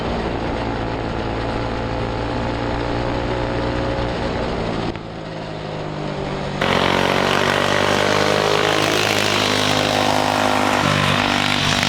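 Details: Turbo EFI Predator 212 go-kart (Stage 5), injector maxed and tuned slightly rich at high rpm, floored from the start: high-revving drone climbs sharply partway as boost builds, then holds flat out without stumbling. Normal full-throttle run to the rev limiter.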